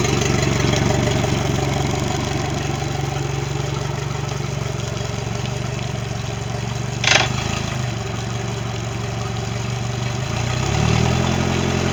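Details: Mercury 90 hp outboard on a Suntracker after a no-start issue, final running check: smooth even idle, brief blip around seven seconds, slight rev near the end; normal idle.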